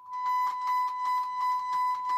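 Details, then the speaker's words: Telefunken HA 750M amplifier through speakers: steady test tone wavers and crackles about four or five times a second from a dirty, poorly contacting potentiometer, needing cleaning. "To drżenie dźwięku spowodowane niestykaniem tego potencjometru. Też czeszczy. Słychać jak trzeszczy. Słabe potencjometry."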